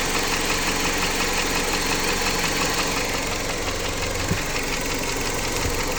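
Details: Jeep Patriot 2.4 engine: a light, fairly regular tapping around three per second rides over a hissy idle, not changing with speed; engine knock, cause unknown.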